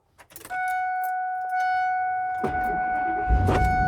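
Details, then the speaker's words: 1999 Ford V10 4x4 truck after its bad battery cables were replaced with new extensions and connectors: warning chime, brief crank, then it catches and settles to an even rumble, a clean start that suggests the problem is solved. "oh that sounded different okay okay I think the problem has been solved"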